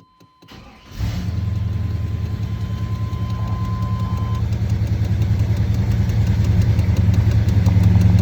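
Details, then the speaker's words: V8 just swapped into the vehicle, with the exhaust and mufflers rerouted over the axle to dual outlets, in a garage with the door closed: short chime, fires at once into a deep throaty burble at high idle on the electric choke (will drop to about 800); runs good. "shot of the gauges that's a high idle with the electric choke and she'll fall down to about 800 shut it off i got the garage door closed she runs good sounds good"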